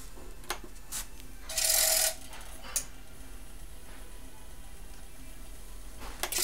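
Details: Sony CDP-X55ES ES CD player: faint hum breaks into short bursts of scraping, rasping noise and clicks when the disc accelerates or slows down.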